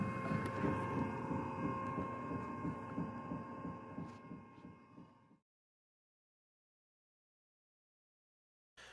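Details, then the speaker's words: RK-5T/5TF pottery wheel micro V-belt: steady low thump about three a second over motor whine, fading as the wheel coasts down. Belt sat idle too long and formed a hard spot around the small pulley. "thumping sound can develop if the belt has been sitting in one spot for too long. When it sits idle, the belt conforms around the small pulley and develops a hard spot. When the belt rotates around, it can make a thumping sound."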